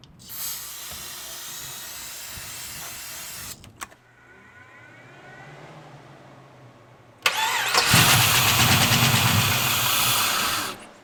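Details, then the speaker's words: LS-swapped G-body Cutlass with a 3-year fuel system problem, long sitting, started on starter fluid. After a short crank it runs rough with a fast light ticking about three per second over it; the owner reports a known lifter issue. "He said it does have a lifter issue. Obviously, we can hear the lifter is going a little crazy."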